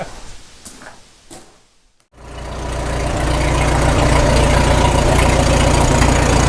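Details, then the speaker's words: 1936 Caterpillar Twenty-Two tractor, revived after years sitting, warm at full operating temperature with 35 psi oil pressure: the engine note swells and settles into a smooth, even low thrum of about three beats a second; healthy warm idle. "Smooth. And we got a good warm too. That's full operating temp right there. And good exhaust note, nice and even."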